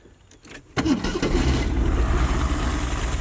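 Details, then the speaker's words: Ford Maverick sat 26 years, warm restart after first idle: brief crank, catches within a second and settles to idle; owner suspects number one cylinder still dead (plug not changed), plans timing check and new plug wires. "We could still have that one dead cylinder on number one that we didn't change the spark plug on."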